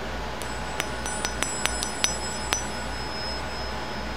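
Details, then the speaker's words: Hydraulic pump part removed during a rebuild and lightly tapped: each tap gives a clean, high ring that keeps sounding after the hit, showing a solid part with no crack. "so puff us that's good a nice good ring that's good though"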